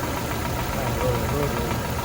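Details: 1996 Toyota RAV4 at idle, injector checked with a listening tool for ticking: fine rapid ticking keeping pace with engine speed over a steady idle; injector clicking normally and working fine.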